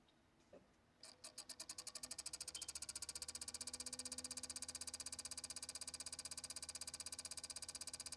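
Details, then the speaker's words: Xbox One console at power-on: fast even ticking about four per second over rising fan whir, fan sounds like hitting something; fan bearing suspected gone bad, causing resistance. "It tries to spin up the fan. You'll probably hear the fan like sound like it's hitting against something. But what I think it is that the bearings in the fan has just gone bad"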